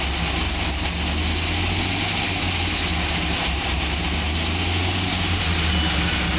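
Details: 2006 Pontiac GTO V8 at idle with a faint, even tapping under the rumble; owner asks whether it is piston slap or something more serious, cause unconfirmed.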